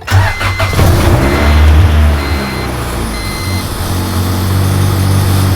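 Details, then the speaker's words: Honda Civic EK, first start after replacing the alternator because of stalling and no-start trouble: it settles to idle with a loud steady low drone and a faint rubbing whir, as if something rubs inside the new alternator, which the owner may return. "it's definitely making a loud noise and I don't know why and it doesn't sound good sounds like something's rubbing on the inside of it"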